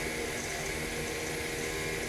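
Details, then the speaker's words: Bolde Smart Fountain 10 Expresso water dispenser, cooling-kettle mini water pump running. A steady high-pitched whine with a hissy watery rush is far too loud. This pump is believed to be wearing out and will soon stop flowing. "Tuh, suaranya kenceng banget tuh. Gile ya."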